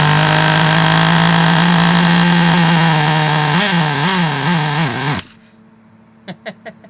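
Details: Vintage Traxxas nitro RC buggy engine: high, steady buzz wavering in pitch over the last seconds, then cutting off as it runs out of fuel; firing and running.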